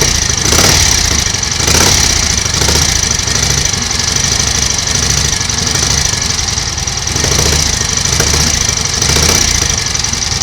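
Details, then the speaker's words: 1938 Matchless Model X 990 cc V-twin just started after several years laid up, choke closed, ignition advance uncertain: even steady thump, no knocks or misses, mechanically okay, some exhaust smoke from oil; normal idle. "sounds okay mechanically bit of smoke from the exhaust so it's obviously plenty of oil getting in and around the engine"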